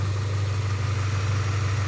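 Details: 1995 Honda Accord EX, manual, after the mechanic's repair: smooth steady low idle with no rise and fall; the idle that used to drop and die in neutral at stops is back to normal.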